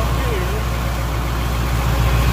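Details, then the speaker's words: 1988 GMC 7000 with 8.2L naturally aspirated Detroit diesel that died while driving and wouldn't restart, now running after diagnosis; steady, even low idle with no misses or knocks. "whoo listen to that Detroit power"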